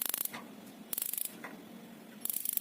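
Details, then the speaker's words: Gas geyser spark igniter firing normally as the tap opens: three quick bursts of sharp, rapid ticking, each a fraction of a second, the first of three main sounds a gas geyser makes. "तों ये जो आवाज होती है ये हमारे gas र के lighters की होती है यानी कि स्पार्क की जैसे आप घरेलो गैस को लाइटर से ऑन करते हैं उसमें चिंगारियां उत्पन्न होती है"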